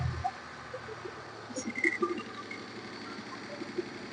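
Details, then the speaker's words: Maruti Suzuki Omni after clutch release bearing replacement and gearbox refit. The earlier belt-like squeak at start-up, linked to the clutch lever, is gone; a quiet, even idle hum with no squeal. "Start ചെയ്യുമ്പോൾ നമ്മൾ നേരത്തെ കേട്ട ആ ഒരു എന്നുള്ള ആ ഒരു sound ഇപ്പോ കേൾക്കുന്നില്ല."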